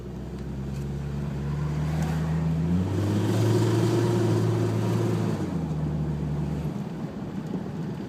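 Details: Idle misfire on a 1996 Jeep Cherokee: sporadic single-cylinder misfire at idle, all cylinders misfiring under load after 10 min heat soak; wideband O2 reads lean, fuel pressure 45 psi dropping to 15; slightly uneven, stumbling idle beat.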